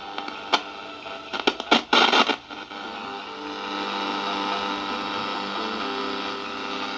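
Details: Previously dead radio after repair, being tested on mains power: a few sharp crackles, then steady static hiss with faint tones coming through as the set tunes; the receiver is working.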